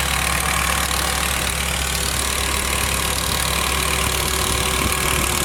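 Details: BMW E60 M5 with the S85 engine at idle: a steady light ticking, roughly three per second, over an otherwise even idle; the source of the tick is not pinned down.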